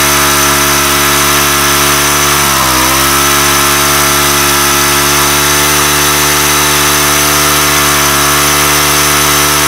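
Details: Weathered 29cc four-stroke Craftsman Speed Start curved-shaft trimmer, run after checking the oil level, suspected oil leak: fast, steady buzzing idle with one brief dip, far too quick for idle; idle speed set too high.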